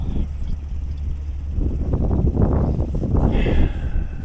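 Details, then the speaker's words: Gleaner combine with Allis-Chalmers 6B 230 engine at first start after carb and starter rebuild and straightened push rods: low, throaty rumble that builds and holds after blowing debris from the exhaust; runs on its own. "blue crap all over me but it runs better"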